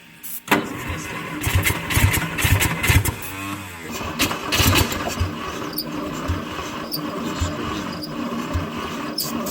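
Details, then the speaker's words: 1960 Studebaker Lark inline-six revived after 40+ years sitting, cranking on a repaired starter; uneven churn with a thin rising squeak, which is attributed to the starter, possibly its spindle. Cause suspected, not confirmed. "that squeaking sound oh that's the starter"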